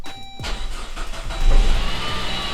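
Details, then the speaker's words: Saab 9-5 Aero, 152,016 miles, after sitting a few years, oil change and new battery: starter whirrs briefly, engine catches cleanly, flares, then settles into smooth, even idle with no knocks or misses; idles great. "Perfect. I mean, look at that. Idle's great."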